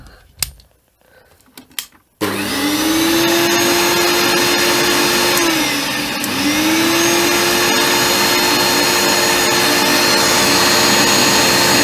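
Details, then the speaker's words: Hoover Turbomaster vacuum, a fully rebuilt one with new bearings, switched on: spins up to a steady, smooth whine with no rattle or grinding; normal running. "as you can hear it sounds much smoother much much smoother it'd be clumsy it's been fully rebuilt with new bearings which this one will be eventually"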